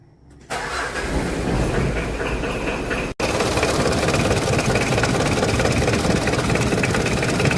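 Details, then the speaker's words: Car engine after the fan belt was treated against noise: cranks and catches, then a steady, even idle with no squeal or chirp from the belt. Normal idle. "untuk funbell bunyinya senyap sekali dan ini sungguh sangat mantap tentunya friend Ya bisa terdengar ya tidak ada suara berisik pada bagian fbell"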